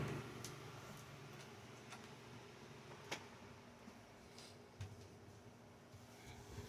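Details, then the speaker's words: 2000 Air King 16-inch desk fan, model 9151, in very good condition, starting on speed 1: low quiet hum building slowly with faint air noise and occasional light ticks; healthy, quiet start-up. "Starts up nice and slow. This fan does have variance between the speeds. And it's also quiet."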